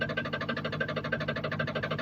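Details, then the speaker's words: 2014 Jeep Grand Cherokee SRT8 6.4L 392 customer-supplied, previously rebuilt engine, running with vehicle suspended, camera near oil pan: sharp even knock about ten times a second over idle; crankshaft/balancer contacting a piston skirt. "seems to be coming from the oil pan area. You guys can hear it. Just going to back this up a little bit here. So, that's the noise that we actually having that's coming out of the oil p"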